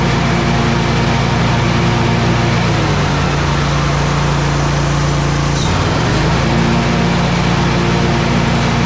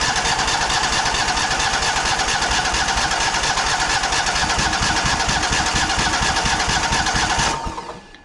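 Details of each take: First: Exmark 52" Pioneer S zero-turn mower, Kohler KT720 twin, after repairing a faulty ignition coil (cylinder showed spark but would not fire) that caused rough running, popping and bogging: strong, even roar that dips with throttle and recovers cleanly, no popping or misfire. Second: Exmark Pioneer S 52-inch zero-turn mower, model PNS720KC523, with a Kohler KT720 twin-cylinder engine. It cranks steadily without firing during a spark test on one side, and that side's failing ignition coil gives weak spark. The mower runs rough, pops, and bogs down under load.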